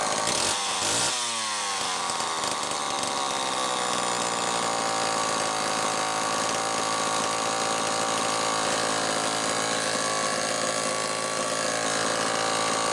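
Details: Homelite XL-12 chainsaw, final test run after an ignition repair (misaligned coil bracket, missing flywheel-nut lock washer fixed): a brief blip, then a clean steady high-pitched scream through the cut with no dropouts; running normally under load.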